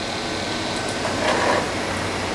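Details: 1996 Monorail 7245 all-in-one desktop computer, CD drive tray opened via system tray software: brief soft motor whir as the tray travels, no grinding or stalling; drive tray working normally.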